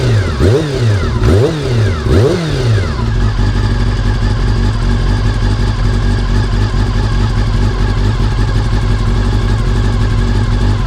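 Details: Honda CBR400RR (NC29) after swapping in a CBR600F fuel pump to cure pump noise: three sharp clean throttle blips, then smooth even idle with no pump whine or buzz; fixed, healthy.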